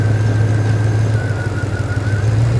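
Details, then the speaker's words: P38 Range Rover with an LPG conversion and 33in tires, idling while the EAS air-suspension tank is pumped up manually. Steady low idle hum with a faint high whine and light ticking on top: the normal LPG injector tick as the gas kicks in. "that's the LPG injectors once these tanks at 100 PSI I'll stop pumping it up manually and I'll let the EAS compressor do the job"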